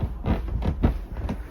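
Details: Roughly 100-year-old upstairs wooden floor: dry creaks with each step, four in under two seconds, from loose boards on old nails; fix is screwing boards down, which quieted earlier-screwed boards.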